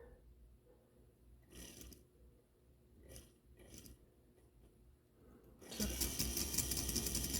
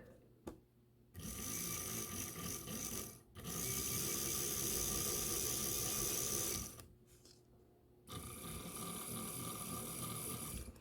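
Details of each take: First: Life-Like Proto 1000/2000 model locomotive under power: the small motor whirs with fast, regular clicking, about two to three per second, as a cracked axle gear skips; in reverse it locks up. Gear skipping from cracked axle gear. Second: Life-Like Proto 1000/2000 model locomotive after repairing cracked axle gears: three stretches of steady even mechanical whirring with short pauses; gear drive runs smoothly without binding or clicking, fixed.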